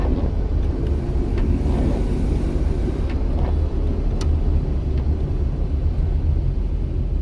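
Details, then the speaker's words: VW Rabbit, chassis 270,000 miles, after wheel bearing and spindle replacement, rainy test drive, wipers off, coasting off throttle: only even low tire and road rumble, no plane-like roar; normal wheel bearing. "you might already notice a difference even with the sound of the wipers but it's even easier to tell when i shut off the wipers and let up on the"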